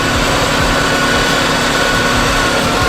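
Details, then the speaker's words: Subaru WRX, idle raised 300 rpm above normal, Seafoam sucked in slowly through the bypass valve vacuum line: a loud, uneven, ragged raised idle with the engine labouring and stumbling. It runs rough on purpose for a minute. "you're gonna want to take off this vacuum line right here it's part of your bypass valve so we're gonna go on ahead and slip this off these cars gonna run like crap for a minute"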